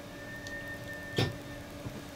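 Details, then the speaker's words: 2017 R-Pod 179 RV during used-RV inspection, propane water heater switched on (DSI fault light comes on as it tries): one sharp igniter click over low hum as burner fires; normal light-off, propane working. "and you could actually hear it click on so that's a good sign that means that your propane is actually lighting and I'm listening carefully I can actually hear it fire up so that's a great sign"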